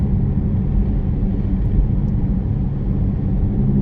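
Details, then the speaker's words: 2017 Chevy Equinox driving with loud rear growling that tyre rotation didn't cure. A constant deep rumble rises with speed and disappears in left turns but not right ones, pointing to a worn left (driver-side) wheel bearing/hub assembly. "but then when I go around the left hand turn up here make this same sweeping left hand turn you can feel it's already going off you can hear it completely disappears when you make a left turn"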